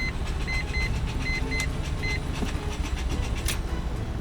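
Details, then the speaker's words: Mazda FD RX-7 rotary, left undriven over a decade, cranked with the throttle floored for the de-flood procedure: uneven cranking with a warning chime, engine never fires. Flooding suspected; a leaky or stuck-open fuel injector is also suspected. "so rx7s have a built-in def flooding procedure which is to basically just hold the gas pedal down to the floor and try to start it so let's try that"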